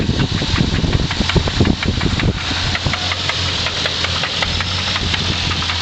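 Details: 1990 Infiniti Q45 V8 at idle, noise began: sharp, regular rhythmic knock tapping through steady idle, pointing to bottom end; owner suspects rod knock, unconfirmed; car later sold as is.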